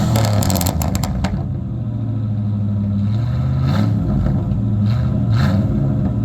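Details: '96 Ford F150 V8, 239,000 miles, revved repeatedly while one catalytic converter is plugged: open, loud V8 rising and falling with crackle and popping on the overrun, engine pulls cleanly, no smoke.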